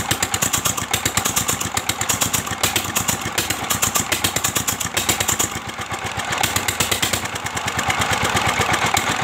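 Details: Old S1100 single-cylinder diesel after restoration service, stuck piston freed and engine mount fixed, restarted: steady, even chugging with a crisp regular beat, no knocks or misses; running smoothly.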